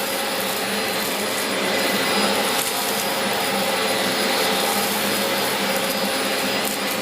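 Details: 17-year-old Dyson DC04 Limited Edition upright vacuum picking up a big mess test: steady high rushing whine with even airflow, no labouring or pitch drops; running normally after an earlier brushroll jam cleared.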